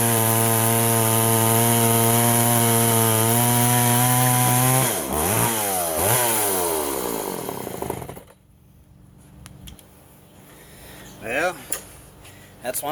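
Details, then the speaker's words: Poulan 3400 Countervibe (Craftsman 3.4) vintage chainsaw before carb fix: steady high revs sag and waver then die, loading up rich; leaning the mixture didn't help; cause was the carburetor diaphragm metering lever set a little too high, overfueling. "the um the lever the diaphragm lever anyways it was a little too high it was getting too much fuel"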